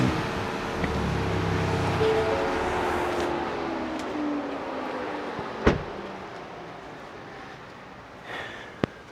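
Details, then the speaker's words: 2025 next-gen Ford Ranger Raptor with stock blow-off valve before the Turbosmart Kompact EM Dual Port install: revs drop, then a brief soft puff of air on throttle close, nothing dramatic; normal blow-off valve release. "you guys saw, nothing dramatic, none too crazy."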